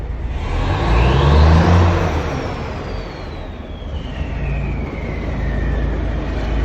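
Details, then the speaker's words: Eagle bus diesel running cold, first start after fixing bad grounds and replacing battery terminals. Heavy, low, steady rumble with cold clatter, revs swelling then settling, a passing whistle; running fine, needs to warm up. "it needs to warm up and get all you know circulate that fuel and everything so but uh it's running man"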